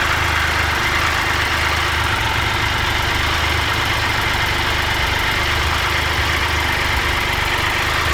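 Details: 2013 Triumph Tiger Explorer, 31,000 km, idling after dealer valve clearance check and adjustment: fast, light, even ticking remains though less than before.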